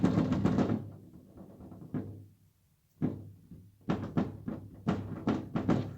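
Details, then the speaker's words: Renault Sandero/Duster/Oroch door panel tapped with knuckles gives hollow, buzzy thunks; an inner reinforcement seems to have come unstuck from the panel, possibly a factory or wear fault. "me parece que lleva un refuerzo todo el panel de spoon está punta y puedo meterlo dentro de la cámara de"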